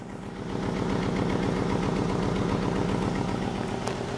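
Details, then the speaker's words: Fiat Palio engine at idle, no service light on: rough, lumpy idle with a recurring stumble, like a dead cylinder; earlier the fault appeared when cold; no loose wires or plugs and no spark jumping found; one cylinder not contributing. "no hay luz de servicio prendida acelera bien pero con falla como un cilindro muerto"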